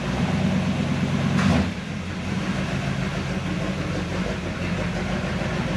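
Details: 1970 Chevy C10 pickup with a 327 small-block V8 and HEI distributor, starting hard with bad ignition timing; it lopes with an uneven, stumbling beat that drops off partway through, a rough idle.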